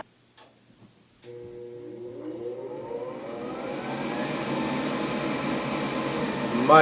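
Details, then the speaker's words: Gas furnace draft inducer starting up after replacing the motor, whose bad bearing had howled loudly. The new motor spins up with a smooth rising whine into an even hum, quieter than the burner, with no bearing growl. "quieter the gas itself is louder than the um inducer motor now so job well done"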